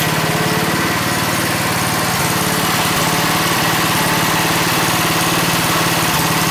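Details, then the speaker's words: Pow'r Gard 4000 generator with a Wisconsin Robin EY27W single-cylinder engine and Mikuni carburetor, idle speed lowered after idling too high, choke off. Even, steady thump at a smooth idle with only the odd faint puff; runs clean. "So it was idling a little too high, and now it has a pretty nice smooth idle. It puffs every so often, so it's like, but it's like, it just sounds like an engine."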